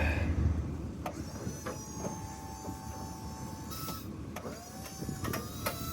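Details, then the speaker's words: Myers snow plow hydraulic pump after bleeding air, with water suspected in the fluid: steady motor drone with wavering whines, sounding better and lifting faster. A further fluid change may be needed. "but sounds a little better we might have to change this fluid again definitely sounds better"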